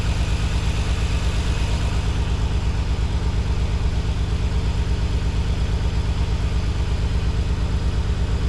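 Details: Nissan 300ZX just after installing new spark plugs and refitting the balance tube; a coil pack is slightly loose. Steady low idle with a regular pulse and slight unevenness, still a faint stumble; cause not confirmed (fuel injectors suggested).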